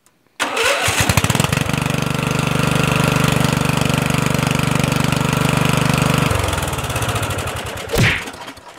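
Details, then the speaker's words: Murray 14.5hp 42-inch lawn tractor, ignition switch rewired and bad ground corrected. Short crank, catches at once, even steady thump until shutoff; stator charging battery at 13.7 V; normal start and run. "we got the stator charging the battery at 13.7 volts perfect it starts up no problem now"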